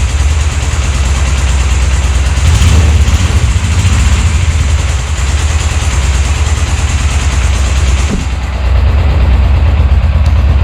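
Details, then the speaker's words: 1998 Suzuki GS500 twin after carbs were refitted, started without choke: low, slightly lumpy idle (should be about 1250 rpm) with light rapid valve-train ticking, possibly the timing chain, though it seems to run fine enough. "it should run a little bit faster i think it should have like 1250 it should run like this the engine is a bit clacky you can see some valve train uh you can hear some valve train noise and maybe maybe even the timing chain but i think it runs fine enough"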